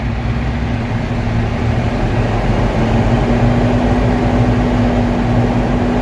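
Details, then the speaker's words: Diesel truck air brake test, in neutral with parking brakes applied: steady rumble at about three beats a second with compressor loading evenly, no knocks; governor cut out at 133 psi (limit 140) and cut in at 121; normal build-up. "Okay, so my governor cut out at 133 psi. It was a good test because it did not cut out no more than 140 psi."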